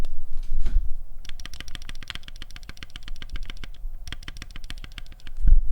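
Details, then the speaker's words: Keyboard space bar stabilizer with slight tick, before lubing: rapid taps each with a sharp, high-pitched piercing tick over the thock; stabilizer wire ticking, needs lubing; stabilizer tick. "but that's that's tick when you when you hear it you won't be able to unhear because of the frequency it's very high it's like the high end of the frequency is sharp it's piercing it it pops right through"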